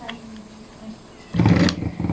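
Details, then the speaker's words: Ice crusher that only hummed and wouldn't spin, tested with a 5 µF substitute starting capacitor: motor kicks in with low steady hum and runs normally, confirming the original capacitor is faulty; 8 µF replacement planned. "So ayan guys gumana siya. So okay 'di ba? So ibig sabihin sira itong capacitor niya mga kalikot."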